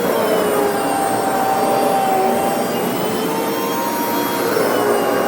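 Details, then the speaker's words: 6-month-old Hoover FH52110 Smart Wash carpet cleaner: loud harsh rough whirring with shifting whistles and handle vibration; grinding before acrid burning smell and total power loss, motor failure suspected. "I can actually feel a vibration in the handle when you hear that grinding sound see okay here's an update I tried to use it a little bit more and uh it just uh continue to make that kind of grindy noise"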